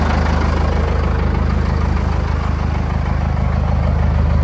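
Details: Cummins 4BT diesel in 1984 Chevy K5 Blazer, first start after compound turbo kit install, stainless exhaust: steady even clatter at idle, regular firing about three per second, no knocks or misses; running healthy.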